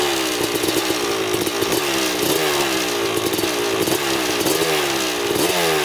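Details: 2000 Suzuki RM250 two-stroke on first test ride after pipe fix, carb clean, new oil, fresh gas: crisp ring-ding revving up and dropping back in repeated blips, even clean pulses; running great in first gear.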